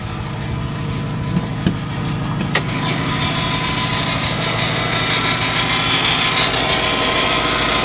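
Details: Subaru Forester at startup after replacing the AC compressor clutch bearing: engine catches and settles into a steady, even idle with a smooth hum, with no chirp, rattle or grinding from the belt-driven accessories; normal idle.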